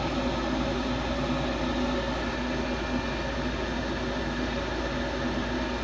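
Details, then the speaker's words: Gas furnace with failed high pressure switch, jumpered/bypassed to test: fires up and stays on with a steady, even rushing roar and constant low hum, no surging or cutting out. "starting fired up stay on all right we're not done yet now that we bypassed it and it turned on"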